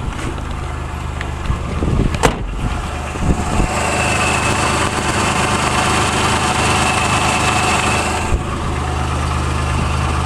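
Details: December 1985 Nissan Hardbody King Cab SE, VG30i V6, 5-speed manual, 4x4, 160,030 miles, 2" catback and turbo muffler, warmed up at idle: light quick tick seeming to come from the exhaust side, usually louder; owner wonders about oil pressure, source unknown.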